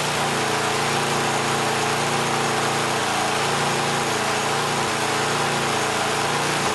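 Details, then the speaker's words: Yardworks snowblower small single-cylinder engine at idle: beat wavers up and down every couple of seconds, sounding fuel-starved; levels out with choke half to 3/4 on. Owner suspects it needs proper gaskets and a carb kit. Engine hunting. "so so yeah it's hunting a bit it sounds like it's starving when I put the choke on about half or 3/4 it uh levels out"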